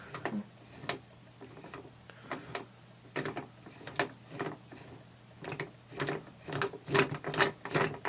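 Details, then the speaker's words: Transmission overdrive unit turned by hand: light clicks as the blocker ring hits the pawl and the sun ring stops rotating, with gear-movement rattle to ignore; normal blocker ring click. "Ignore the noise of the movement of the gears. Just a little click, little tapping sound."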